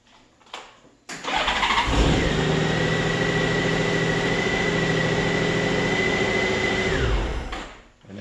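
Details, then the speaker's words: Crashed Honda GL1800 Goldwing that cranked but wouldn't start, no spark or fuel pump pressure, after reconnecting the tip-over switch in the right side cover: brief crank, then it catches at once and settles into a steady, even idle before shutoff; fixed. "as soon as i plug this thing in it starts right up and it runs like a top in fact we'll do that right now"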